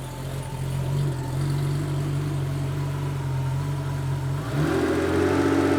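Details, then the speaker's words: 1987 Porsche 911 Carrera 3.2L engine on a test stand, first running after long storage, crank sensor gap checked at 0.8 mm; idle then clean rev to about 2000 rpm, deep exhaust, no misses; healthy. "that sounds great"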